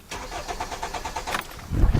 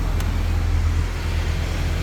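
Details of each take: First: 2010 Hyundai Sonata cranking during fuel pump relay and circuit testing: starter turns briskly at an even fast beat and the tachometer moves, but the engine never fires; no fuel delivered. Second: 2010 Hyundai Sonata with a no-start, fixed by a new fuel pump, now starts and idles with a steady, even low rumble, no stumbles or dropouts, over loud shop fan noise; normal idle after repair.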